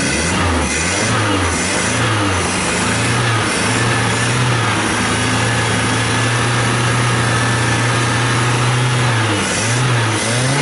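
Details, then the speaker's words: Car just fitted with a carburetor, CNG kit removed, timing set roughly by eye: engine catches and revs up and down smoothly with slow throttle blips, no stumble; running well. "Mas de qualquer forma o motor já tá funcionando bem ala D um toquinho devagar no acelerador só para mostrar como ele ficou legal"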